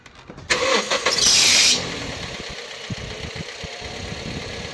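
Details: Toyota Yaris that would not crank, after starter wiring and relay repair: a short burst of cranking, the engine catches within about a second, then settles into a steady, even idle.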